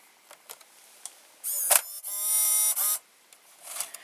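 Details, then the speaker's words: JVC GR-AX33 VHS-C camcorder made December 1992, on its power adapter and switched to play mode: light clicks, then two short high bursts as the loading motor turns. Loading is normal; the picture and VCR buttons don't work. "now we are going to turn on the power and I put it in the play mode the loading motor just turned"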